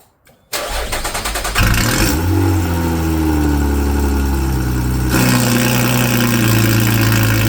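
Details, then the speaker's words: 2011 Lotus Evora S after a used Capristo valved exhaust and CES3 controller install: engine starts and settles into a steady, even idle, then gets noticeably louder and deeper as remote mode 4 opens the valve from fully closed; normal idle, very rowdy. "Okay, and just like that, the exhaust is working. She's really rowdy."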